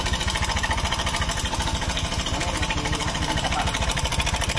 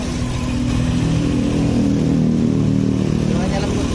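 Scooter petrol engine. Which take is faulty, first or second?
first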